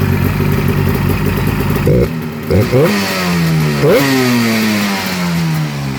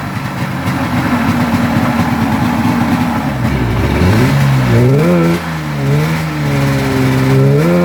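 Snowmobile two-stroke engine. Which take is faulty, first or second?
second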